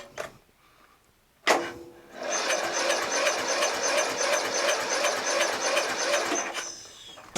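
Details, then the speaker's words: Murray LT widebody lawn tractor, Briggs 12.5HP flathead, magneto kill wire removed, spark confirmed, starting fluid used: cranks about three a second with uneven chuff per stroke; compression improved but won't fire, suspected ignition/kill switch fault. "has more compression for sure let's try some more go-go juice"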